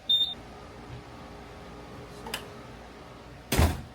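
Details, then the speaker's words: Buzzaround EX mobility scooter with fault code 7: sharp isolated clicks as the speed pot dial is turned, the brake releasing on its own, confirming a faulty speed potentiometer. "That means it's definitely the speed pot. Listen, it's releasing the brake. Oh, yeah. By spinning the dial."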